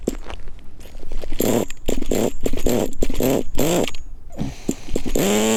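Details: Nitro RC car glow engine during break-in, full-throttle runs on rich mixture: burbly, uneven blips rising into a buzzing rev and dropping back; rich but healthy.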